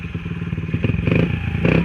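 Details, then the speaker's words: Honda XR50 pit bike with aftermarket pipe, hot after riding: choppy bursts falter and surge instead of pulling cleanly under throttle; sputtering returned after the carb was cleaned last night, and the owner suspects the carb needs cleaning again. "It ran a lot better last night, but I think it's coming back up again. It's sputtering real bad."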